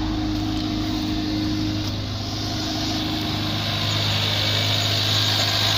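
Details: 2015 Hyundai Veloster 1.6 turbo G4FJ with 7-speed automatic, 135,472 km, front-end damaged wreck, idling after start: a smooth, even low hum with a light top-end whirr and no knocks or ticks; a healthy idle.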